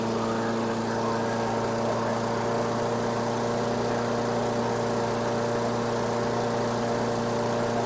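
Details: 2008 Weedeater 22-inch 500 series mower, engine model 10T502, after non-start repair work: smooth steady drone without stumbles, settling a touch fast; RPMs a little high, possibly left high for heavy cutting; cable and a possibly bent screw to check.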